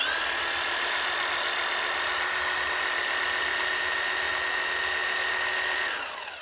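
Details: Corded 240 V DeWalt DW331 Type 2 jigsaw after repair of a jammed, humming, seized motor: even, high-pitched whine steady at full speed, no knocks or grinding, winds down smoothly; healthy.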